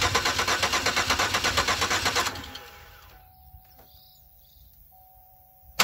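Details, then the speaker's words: 2004 Chevy Impala cranking at a steady rate for about two seconds without firing; fuel pump heard running but owner unsure it supplies enough fuel, starting fluid test planned. "okay yeah fallout won't start and i can hear the fuel pump running but i'm not sure if it's adequate"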